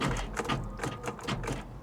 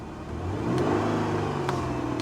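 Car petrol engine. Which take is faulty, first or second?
first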